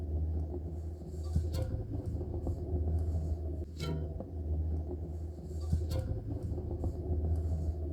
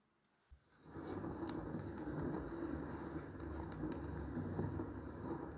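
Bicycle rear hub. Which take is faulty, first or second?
first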